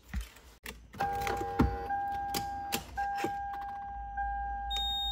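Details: Lexus SC430: piercing steady electronic tone with short breaks and clicks sounds on start-up; owner suspects a black box on the skid control module and unplugs it to test, cause not confirmed.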